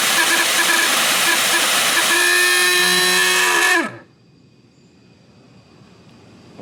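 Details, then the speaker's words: Shop vac: a loud, rough roar with a shrill whine that drops in pitch as the motor spins down; a weird motor noise, likely needing the motor to be lubricated. "if you have ever had a problem with your shopback making a weird noise there's a pretty good chance that the motor inside of it just needs to be lubricated a little bit"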